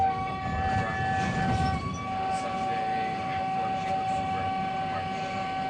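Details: 1985 UTDC ICTS Mark I SkyTrain car 111 (set 111-112), Expo Line, stopped at Joyce Station: steady thin high whistle at one pitch over low background rumble; unexplained abnormal whine from the car's equipment.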